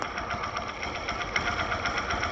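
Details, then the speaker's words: Engine at idle heard through a screwdriver used as a mechanic's stethoscope: fast, even light ticking and whirring from the clutch kit with no knocks or grinding; normal clutch noise. "Se muito barulho do que estão trabalhando na camisa o barulho da kit embreagem"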